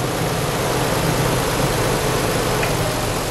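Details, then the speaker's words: 1993 Nissan 300ZX V6 idling with an uneven, lumpy beat and weaker note as coil packs are unplugged one by one to find the misfiring cylinder; cylinder 4 was misfiring from a bad injector, losing power. "So basically what I'm going to do is unplug the coil packs to find out where exactly is the misfire cylinder."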